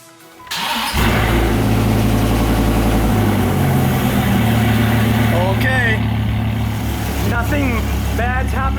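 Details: 2000 Dodge Viper GTS, first start after rebuilding its Tremec T56 transmission, which had made a clicking, rocks-inside noise: engine spins over and catches within a second, then settles into a steady, lumpy idle with no knocks, grinding or clunks.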